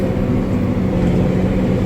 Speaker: He tightened all those cuz there was a couple of them loose. So, and now it seems to be working fine.